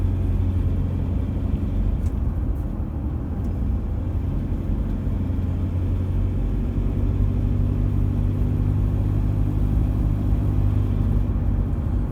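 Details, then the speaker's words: Same diesel near full operating temperature: an even, steady, low diesel clatter at idle with no sharp knock. A fairly normal warm rattle; the bad combustion rattle heard when cold, possibly from faulty injectors, is hidden once warm. "rattle we got now is what i'd call what's a fairly normal rattle"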